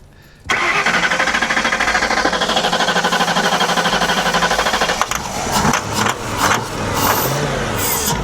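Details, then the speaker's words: Hurricane-flooded 1992 Ford Crown Victoria with 11,000 miles cranking steadily for about four seconds without catching, a crank no-start; owner wonders if it needs a new computer, unconfirmed. "try it again that doesn't sound right hop out something doesn't sound right with that I'm wondering if I need a new computer for this"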